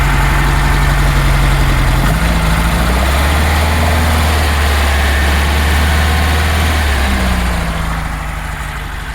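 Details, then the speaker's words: 1966 Porsche 912 after carb float reinstallation and distributor work, carbs not yet balanced, idling around 1200 rpm: uneven stumble running on two cylinders, then the other two catch and the tone smooths; intermittent cylinder misfire. "it's intermittent and what I really need to do is um just drive it around but that's still coming so there you go right it's running on two right now and then you'll hear those the other two coming on"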